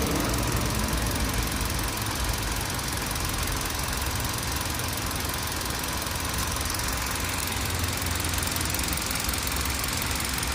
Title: Clunking Noise from Engine